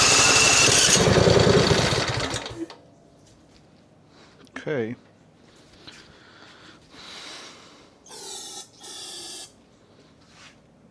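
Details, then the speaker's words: John Deere Z355E zero-turn, 581 hours, dusty long-term non-runner, fresh battery: roars about two seconds on starting fluid then dies; fuel tank empty; later found a broken governor gear, engine pulled and disassembled. "Let's put some starting fluid. Oops. You see, it works."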